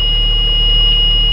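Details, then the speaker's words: Cummins ISB diesel in the donor school bus with a good ECM: low steady diesel rumble under a constant high-pitched warning buzzer; engine starts and runs evenly. "so right there as you can hear the engine is running so this engine runs okay the engine runs"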